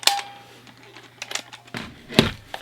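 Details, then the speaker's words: Garage-sale personal cassette player heard through its headphone output: sharp pops and crackles are louder than the barely audible music, and a second cassette sounds just as bad, so the player itself crackles badly; cause unknown. "all right that sounded horrible it was like the music was really really quiet and the pops and the bangs were louder than anything else"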